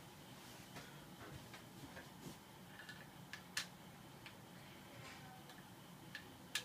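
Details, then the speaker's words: Boshijie 16" mini portable ceiling fan, rehung after oiling its noisy bearing: light irregular ticks every second or so over quiet hum, blades likely not tight enough on the hub. "And what is that noise? Blades are not tight enough, I guess."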